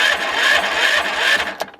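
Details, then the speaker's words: Murray 40-inch-cut yard tractor, 12.5 hp engine, in rough condition: starter cranks steadily at about three turns a second but the engine never fires; no spark found, owner suspects the magneto or ignition coil (unconfirmed). "All right, so I tried to work on the spark and I can't get spark on it. So I think the magneto bat is better, or the ignition coil."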